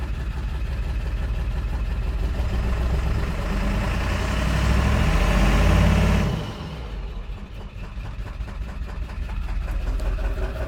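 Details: Low, uneven idle with a loping pulse about four per second that wavers; the rough idle just started, engine running rough at idle.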